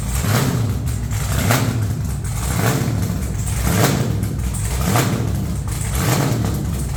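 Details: Truck's first fire-up with headers on and new red valve covers, possibly running some methanol: loud deep V8 lope swelling with throttle blips about once a second, firing even and strong with no knock or miss. Normal running.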